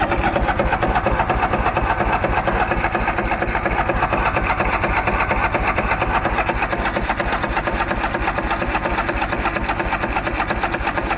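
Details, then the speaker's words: Craftsman DYS4500 mower, Craftsman Kohler Courage 26 hp, sat over a year, cranked with throttle and choke: even rapid starter chugging about two beats a second, never firing; crank no-start from fuel not reaching the carburettor. "Well, we have nothing yet. Well, I think we're just going to give her a little taste of gas again for like the millionth time."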